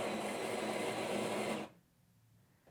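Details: Jura Z8 superautomatic espresso machine, built-in grinder brewing a coffee into a glass: a quick, even, high-pitched grinding whir for about one and a half seconds, then it stops cleanly. The grinder sounds normal.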